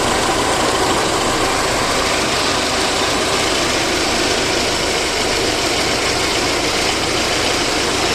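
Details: VAZ 2109 engine after a full overhaul: smooth, even idle with a steady hiss-like tone and no knocks or misses; normal idle.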